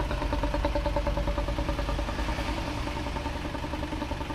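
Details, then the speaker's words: Isuzu Panther Touring diesel, rebuilt a year ago, after second overhaul with original liners restored, camshaft bearings replaced: warm idle now smooth and even, steady low clatter, no misses; exhaust smoke clean, no blow-by pressure at dipstick. Normal idle. "suara mesinnya sudah halus Mari kita gas asap knalpotnya sudah bersih banget nggak ada asapnya beda jauh sama yang kemarin hidupnya juga rata"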